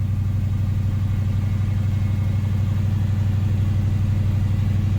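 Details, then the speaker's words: Chevy Nova V8 on newly installed Holley Sniper EFI, after fixing a leaking fuel line splice: steady even rumble, quick regular pulse about four beats a second; idle a bit high, cause not found. "Okay. So our idle's running a little high."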